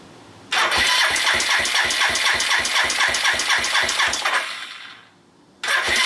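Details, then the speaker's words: Suzuki GN250 single-cylinder engine starts with a sharp tick about four per second, then stalls and restarts; the earlier crunchy upper-engine noise has become more of a tick after work, and the owner suspects valve clearances and will recheck them. "so the tickly tongue noise continues i guess it changed a little bit it's now more ticking noise than crunchy noise"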